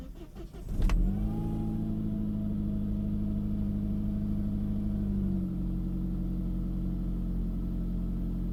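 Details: 2000 Saab 9-5 2.0t, manual: engine catches and idles with a loud steady whine that drops slightly and changes with rpm; owner suspects power steering pump, alternator or water pump, not a clogged oil pickup; plans removing serpentine belt.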